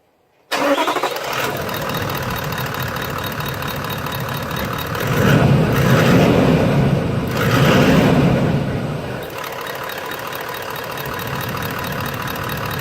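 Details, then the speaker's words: 70 series V8 diesel Landcruiser just after plug-in DPCHIP install on default program: engine cranks, catches quickly, settles to even idle, two smooth revs fall back cleanly; running normally. "We'll just start the vehicle up, give it a few revs to double check everything's okay, and then we'll continue."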